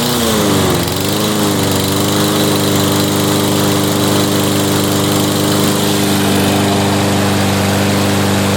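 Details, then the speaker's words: Toro front-wheel-drive mower, 7.25 hp 163cc Briggs & Stratton, wouldn't start after sitting over winter with gas in it: after repair, catches and settles into a steady, even drone with no misses; running normally. "Well, there you go. It's running now."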